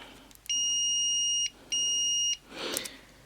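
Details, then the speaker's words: Modern multimeter continuity beeper, probes shorted: two clean, high-pitched, steady beeps, much quieter than the GPO 165A buzzer; normal continuity beep. "Another thing I'll point out, I don't know if it'll come across on camera very well, but this thing is ridiculously loud if you compare it to another multimeter, like say this here is my new multimeter."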